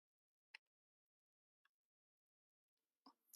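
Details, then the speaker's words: Compaq Armada 1130T laptop at power-on, showing disk controller failure and memory size errors; drive judged a goner. Faint sharp clicks about a second apart, like a clock. Failing hard drive clicking. "and the hard drive is clicking away and I think that's pretty much pretty much a goner I don't know if you can hear that but uh it sounds like a clock"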